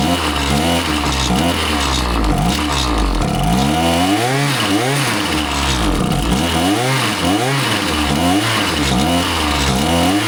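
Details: Husqvarna 525PT5S two-stroke pole saw after a carb refresh, with both mixture screws set a further quarter turn rich: revs repeatedly rise and sag in a wavering surge and it bogs when the throttle opens. It runs fine on top but ignores low-speed adjustment; cause unconfirmed, possibly not the carb.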